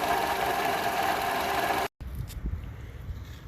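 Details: 2012 Toyota RAV4 at idle, noise traced by stethoscope to the belt tensioner's plastic pulley (alternator replaced a few years ago), dirt around it, belt fraying. Rough chattering chirp keeping time with the belt; worn tensioner pulley bearing, belt and tensioner to be replaced.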